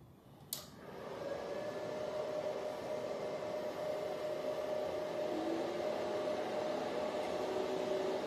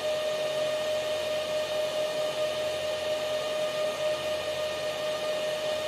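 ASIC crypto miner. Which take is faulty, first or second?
second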